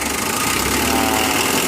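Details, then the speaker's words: Mitsubishi L300 diesel with factory settings, never adjusted: steady, soft idle with an even beat and only a light rattle on top, characteristic diesel sound; normal diesel idle. "sudah nyala mesinnya guys nih ini aja nggak pernah Setel ya bawaan pabrik ada kok suara kerak boleh dihilangkan itu ciri khas diesel cuma renyah rasanya ya"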